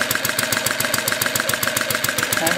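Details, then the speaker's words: Small overhead-valve four-stroke vertical single, 7/8" bore by 1" stroke, on Coleman fuel, driving a 60 W DC-motor generator: runs fast without the bulb, and the 40 W bulb load pulls it down to an even, slow putter with no knocks or misses. Normal idle under load. "well you can see it runs pretty fast without the bul and the bulb uh puts quite a load on it pulls it down pretty good so it idles at a nice slow [Music]"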